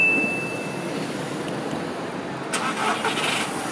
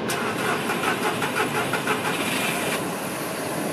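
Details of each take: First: VW Polo with a faulty camshaft position sensor (code P0342) that causes long starts: this clip shows a normal start for comparison, a brief crank that catches almost at once and settles into a smooth, even idle. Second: VW Polo with a faulty camshaft position sensor, code P0342: the starter churns in even pulses about three a second for nearly three seconds before catching, a long crank that also comes with jerky acceleration.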